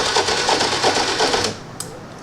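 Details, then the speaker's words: 2020 TVS Jupiter BS6 scooter with a starting and idling problem: rapid, even ticking at about six clicks a second, then it stops; fuel injector pumping test shows normal pulsing. "Fuel injector నుంచి correct గా pump అవుతుందో లేదో కూడా ఒకసారి check చేద్దాం కొట్టు okay pumping అయితే correct గానే అవుతుంది"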